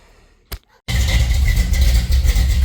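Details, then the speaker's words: Chevy Nova V8 after thermostat housing RTV work, started warm, not a cold start: a deep rumble holding a steady idle around the set 850 rpm with no hunting up and down; sounds good, slightly rich, IAC possibly involved. "It's not doing any weird cycling shit. Pardon my French. It's just sitting there and idling."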